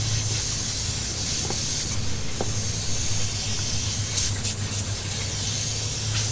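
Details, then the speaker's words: Toro Z-Master 3000 zero-turn mower tire punctured by a long metal spike: a steady, sharp hiss of escaping air runs over a low hum. Slow leak from the tire puncture. "oh yeah I hit a little something hey honey I hit a little something with the thing and you hear the air probably coming out"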